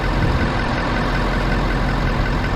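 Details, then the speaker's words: Ford F350 6.7L Powerstroke diesel running after its tank was drained of mistakenly added gasoline and the fuel line reconnected; cranky stumbling start, then a steady, even deep rumble with no misses or knocks, no dash warnings; normal diesel running. "i don't have really anything in the throttle of course these things are so limited now you can't just spool them up anymore but seems like it's normal"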